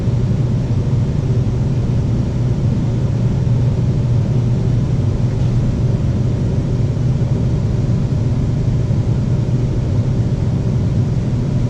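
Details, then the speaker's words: AC compressor that would not start, run after its scrolls were loosened by knocking with a rubber mallet; capacitor measured 42 of 45 µF: low, steady hum with no buzzing or stalling, drawing 9 amps; running smoothly. "[Music] sounds a lot better there we go 9 amps that's good"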